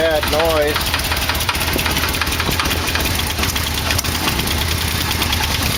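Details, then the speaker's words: 1989 Yamaha V-Max, carburetors synced, in the frame with a weak battery and choke held on: rough, uneven knocking over the idle, tied to engine speed and worse on acceleration and deceleration; not rod knock, owner suspects a balancer, source unknown. "but that knock just gets worse and your seller ating it makes a noise and when you decelerate it makes a noise it's a motor speed noise I don't know what it is"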